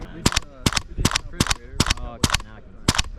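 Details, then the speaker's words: WE-Tech SCAR-L gas blowback airsoft rifle on a hot summer day, drum mag: uneven doubled soft cracks about two per second instead of shooting hard; cause found to be the rubber seal on the drum magazine leaking. "I mean, it looks like it's still shooting fine, but I don't know why it sounds like that. Usually this thing shoots hard."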